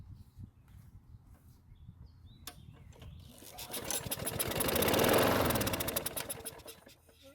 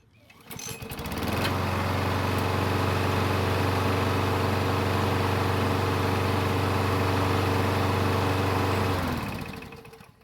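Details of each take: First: Craftsman push mower that wouldn't start, fuel poured into the carburetor throat: quick pulls, then rapid even firing for about three seconds that fades out; runs briefly then dies from fuel starvation. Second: Craftsman push mower with Briggs engine and auto choke, after a basic carburetor service, restarted warm: catches right away, then runs smooth and even before shutting off; normal hot restart.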